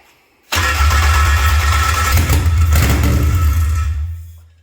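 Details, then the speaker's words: Toyota MR2 with K24 engine swap, first start after new fuel pump fitted: catches with a roar, runs rough for about four seconds, then sags and dies; owner suspects injectors aren't firing, unconfirmed. "I don't think the injectors are firing I hate to say it but I don't think the injectors are firing"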